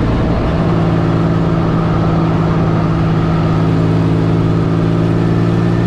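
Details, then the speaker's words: 1984 Fiero wide body with 3800 V6 swap, driving after new header gaskets and a V-band clamp were fitted: steady, even engine drone with a deep hum, no ticking or puffing; no leaks at the headers anymore. "all right let's head back home before you'd be able to be able to hear a whole bunch of exhaust leak in here now it's quiet yeah it's pretty quick"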